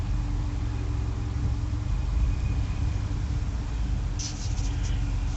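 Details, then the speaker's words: 1994 Jaguar XJ12 V12, about 98–100k miles, after clearing error codes; a fuse-one warning persists and Berryman B12 injector cleaner was added. It idles with an uneven, wavering rumble and the tach wanders, but it revs up fine. Cause not identified. "but I got all my uh my error codes and everything out it's still idling kind of rough you can see there by the the tachometer touch it runs up good"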